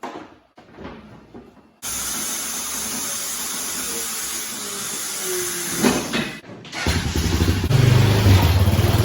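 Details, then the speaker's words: Honda Foreman 450 ES ATV, 618 original miles, after carburetor rebuild and install; quiet, then single cylinder catches and settles into steady even run with a brief clunk midway; normal running. "It's electric shift, obviously electric start. Running good, no issues there."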